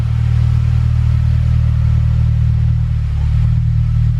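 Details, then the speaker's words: Acura TSX 6-speed manual, K24 VTEC 200 hp, first sound check, revved: deep, even exhaust rumble, no rattles, blows or misfires; healthy exhaust note, maybe a little too loud for this car. "got a pretty decent sound might be a little bit too loud for this kind of car"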